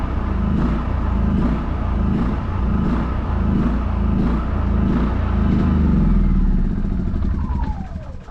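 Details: New WEN 56380i 3800-watt inverter generator at first startup, then switched off: even, steady low drone with smooth rhythm winding down cleanly to a stop; healthy.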